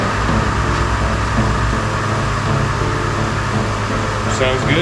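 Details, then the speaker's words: 2005 Chevy Trailblazer 4.2L just after replacing the spark plugs with AC Delco double platinum 41-834 gapped 0.043: steady, even idle hum with a constant low tone and no clicking or ticking; running smoothly, sounds better than before. "Sounds better. Actually doesn't sound all clicky, clacky."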